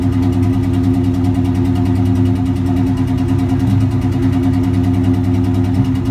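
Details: Cobra with a deep, lumpy idle and an uneven loping beat of about two pulses a second, no clear mechanical knock. Rough idle.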